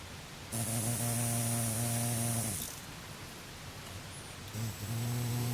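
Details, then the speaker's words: Escap 13N88-110 12VDC precision miniature motor with D12 encoder, running in reverse: hum with buzzy drone cutting in and out from tape rubbing on the pinion gear; whisper quiet once tape removed. "reverse it's making that noise because that piece of tapes rubbing so let's take that off"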